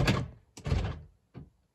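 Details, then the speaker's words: Mercedes-Benz ML55 AMG (W163) central locking: pressing the centre lock button gives two firm single thunks and a faint trailing click, no machine-gun chatter; normal door lock actuator operation, though owner suspects an actuator or the activity module intermittently fails. "my car doesn't really have like the machine machine gun locking like is very notorious on the w163 um every once in awhile though like if i hit the middle lock button"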